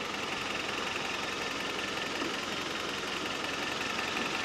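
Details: Toyota 22RE truck engine, rebuilt and fired after final assembly: quiet, even idle with a steady light ticking and no knock, miss or rattle standing out; the engine sounds healthy.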